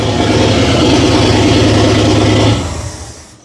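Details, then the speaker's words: 1950 Ford flathead V8 on a DIY junkyard EFI, first start in a closed shop after a small dose of fuel: loud, lumpy, uneven chuffing at idle, then shut off. Seems to run on all eight; timing probably off. "But it just freaking fired up and ran. Yes, it's not idling smooth. Yes, the timing is probably off. But it runs. It sounds like it runs on all eight."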